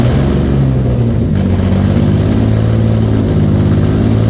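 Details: Infiniti G35 with rebuilt engine and ported intake: idle hunts and stumbles between throttle blips, with no engine light. Owner suspects a massive vacuum leak; unconfirmed.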